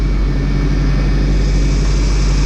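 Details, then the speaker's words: Freshly installed engine on its first start, oil pressure decent, power steering squawking from low fluid: deep, steady rumble holding an even note with no ticks, knocks or stumbles; motor sounds good. "all right well looks good motor sounds good bowel sounds good"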